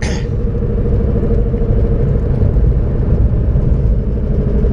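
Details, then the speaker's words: 2006-2007 Toyota Corolla at higher road speed: steady low droning rumble growing louder, swelling when steering left; driver-side front wheel bearing growl suspected, to be confirmed by removing the axle and spinning by hand. "so definitely I think that is the driver's side bearing but to clarify on that let's go take the axle out and spin it by hand to see if that what it is"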